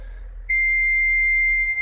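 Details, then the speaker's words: CAT 982M wheel loader, key turned: a steady, piercing single-tone beep with no cranking, display reading starter disabled, place in neutral; the starter is locked out until the joystick is put in neutral. "okay so I was trying to figure out why this thing isn't starting and if you see right here says starter disabled place a neutral so I had to put the joystick down put it in neutral"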